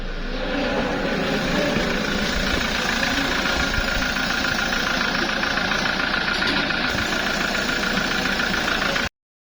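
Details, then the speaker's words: Revo manual diesel, customer complained of noise from the engine side on first morning start, after fitting a new adjuster: even, steady idle with ordinary light clatter, no stray knocks or rattles; healthy. "माशाल्लाह बिल्कुल गाड़ी ओके हो गई है और ये गाड़ी स्टार्ट खड़ी है।"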